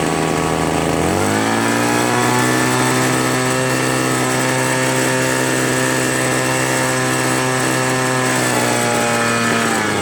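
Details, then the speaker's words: Free two-stroke leaf blower that only started on low choke: it climbs to a high buzzing rev, holds, then sags slightly; won't hold full throttle unless choke is mid. "It doesn't run at full throttle for long. It wants to slow down."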